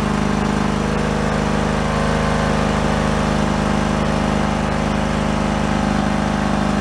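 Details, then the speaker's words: John Deere LX178 yard-sale mower with the mower deck engaged and carb under adjustment: single-cylinder engine chugs at a steady, fairly low beat under load. Owner says it needs more rpm; low engine speed under load. "we're gonna run the mower deck and listen to the RPMs"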